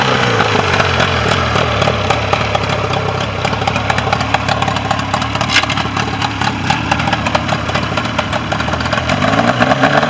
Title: Mercury 40 hp no start issue 7 24 25 Final Running